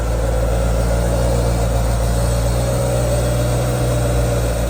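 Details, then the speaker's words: 20-year-old BMW 545i V8 manual, freshly serviced (spark plugs), smooth even idle with steady low hum, no misfires or ticking; healthy engine. "Okay, that's phase one complete with the 545. The engine is serviced and it's running beautifully."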